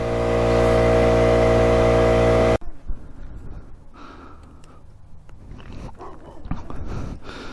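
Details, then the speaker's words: 1971 Yamaha CS200 2-stroke twin ($50 bike, dirt bike tank fitted) warming up: steady fast-idle buzz for a couple of seconds then cuts out; thin note, running on only one cylinder. "it's only running on one cylinder so i'm guessing it's not gonna go that fast but at least we'll be able to ride it"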